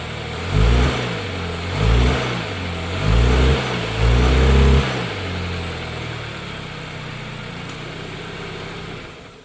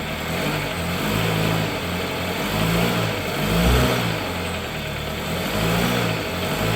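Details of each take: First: 2013 Dodge Dart after replacing the collapsed passenger-side engine mount with a cheap roughly $50 aftermarket mount: four short revs from idle rise and fall smoothly with no clunk or thump, then a steady, even idle; new mount sounds good. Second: 2013 Dodge Dart with motor mount noise, started and shifted into gear and reverse: rough, uneven idle drone with dull low thumps surging on engagement. Passenger-side engine mount found completely collapsed, bottomed out and hitting the aluminum part.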